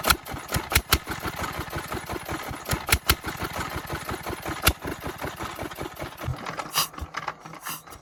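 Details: 24 HP Chinese single-cylinder diesel after repair of excess noise at the side cover: chugs along with its usual valve clatter and no extra knock or rattle; sounds healthy.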